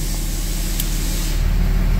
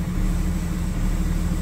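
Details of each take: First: 2004.5 Ram 3500 diesel idling after heating cycle, previously rough idle and slow start; deep, steady clatter about three beats a second, even and unbroken, not idling like before; normal idle. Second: 2004.5 Ram 3500 diesel, just started after the heating cycle, heard with the windows down: a low, heavy idle with an uneven lumpy beat. It is slow to start and shows blue smoke at cranking; the cause is only suspected.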